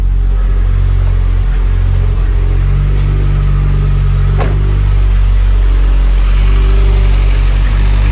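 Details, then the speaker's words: Mitsubishi Evo X with big turbo, newly fitted ID1050 injectors and ECU map modified for them, first start with fuel pump and wideband on: deep even idle, steady beat, no misfire, ticking or hunting; normal idle. "we're gonna turn the fuel pump on and also the wide band and hopefully it starts up that sounds good"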